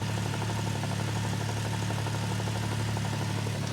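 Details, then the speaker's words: Turbo Toyota pickup after drag-strip damage, also with a big turbo manifold exhaust leak: rhythmic knocking over the engine drone from manual transmission bearings failing, worst in first through third, fourth almost silent. "that rhythmic knocking sound is in fact the transmission bearings eating themselves it is really bad and prominent in first through third"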